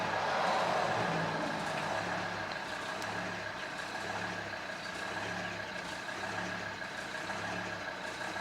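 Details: Volvo XC90 D5 diesel on a cold start: the low idle rumble swells and sags in repeating waves as the revs hunt, which goes away once warm. Owner suspects the diesel fuel filter, but replacing it didn't cure it.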